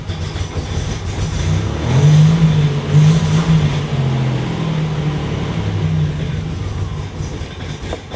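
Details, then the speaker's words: Buick Grand National idling cold after priming: lumpy, uneven drone that stumbles, rattles and dips, breaking up and wanting to die; owner says it only runs badly when cold and runs fine once warm. "it only seems to really run like crap when it's cold once it warms up it really starts running fine"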